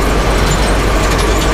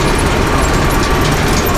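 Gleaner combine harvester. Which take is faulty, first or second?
second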